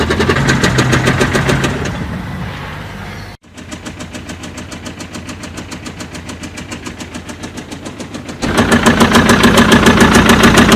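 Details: BMW engine at idle: a sharp, very regular tapping about three to four per second rides over the idle and stays steady as the engine note drops; abnormal knocking noise, cause unclear.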